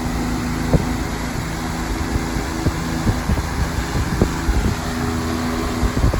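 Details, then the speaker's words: 20-inch Patton fan on medium speed: heavy low droning hum with uneven thumping and chatter; owner wonders if a rivet is loose; blade imbalance vibration. "It's shaking really fast. I don't know if it's really picking up in the camera, but right along here I can definitely see a lot of heavy vibration."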